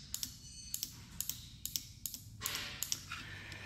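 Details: New EGR valve for Toyota 2ZR/3ZR four-cylinder (P0402 excessive flow), bench-tested at about 37 ohms with 12 V applied; sharp dry clicks each time power touches it; normal EGR actuation, old one dead.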